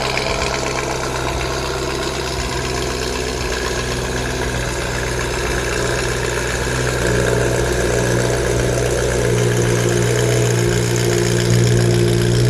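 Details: BMW E90 M3 V8 startup in shop before plug and injector service: loud, deep, even burble with steady firing, no knocks or misses, rising slightly as it warms; described as pretty loud but good. Normal V8 idle.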